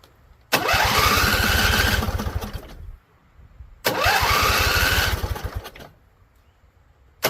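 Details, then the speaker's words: Husqvarna Z254 mower engine, after a PTO clutch install. Two starts on carb spray, each a ragged roar for about two seconds before it sputters and dies. Won't stay running; owner suspects flooding or a tank not venting. "All right, so it came on. I think we burned off all the carb spray we had in here. So, let's give it some more. See if we can keep it alive."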